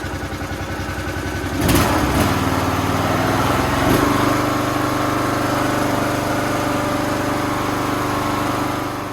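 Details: Toro Z420 TimeCutter zero-turn mower with swapped motor after fitting a carburetor: catches after a couple of cranks and settles into a smooth, even idle with steady hum and no knocks; healthy.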